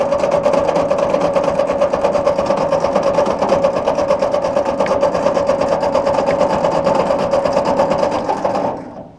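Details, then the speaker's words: Ford NAA Golden Jubilee tractor (1953/1954) sat over 20 years, first start attempt with choke on, throttle halfway: starter grinds steadily about two turns a second with a whining drone, never catching; owner suspects no spark, checks distributor cap. "All right. Well, of course, we may not have spark. We should probably have a look under that distributor cap."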